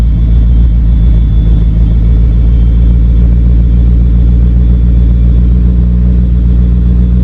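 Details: Mitsubishi Talon DSM after new head gasket and transmission rebuild, idle screw adjusted, slightly rich: deep steady bass rumble at idle with even beat, no misses or hunting; normal idle.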